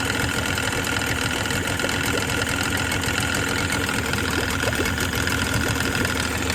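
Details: Tohatsu 18hp two-stroke outboard idling: rough buzz with sharp, uneven engine knocks. Engine suspected blown.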